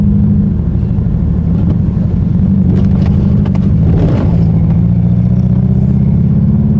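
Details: Mazda 3 after its engine blew: loud lumpy low rumble with uneven lopsided beat instead of a smooth idle, sounding like a Subaru boxer; rough running.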